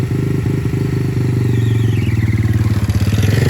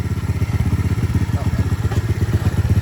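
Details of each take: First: Aftermarket 125cc engine swapped into a Honda CT90 with a Chinese glass pack, first gear under way: rough clattery engine with a harsh scrape, a loose part rubbing and self-clearancing; clutch previously slipping from a spacer. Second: Aftermarket 125cc engine swapped into a Honda CT90, after removing a clutch-cable spacer that kept the clutch slipping: small single thumps evenly at about four beats a second, no knocks or misses. Healthy idle.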